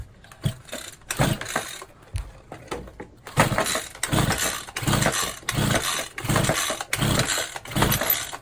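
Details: Champion 23cc string trimmer with no choke: repeated pull-cord pulls, about one per second, whirr with no firing after priming carb; cranks but won't start; cause unconfirmed.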